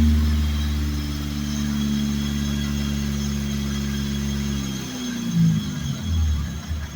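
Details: Mazda RX-8 swapped with a Honda S2000 F20 engine, rarely run since the swap and not yet tuned: even, settled four-cylinder idle with a steady low drone and no stumbles before it winds down. Normal idle.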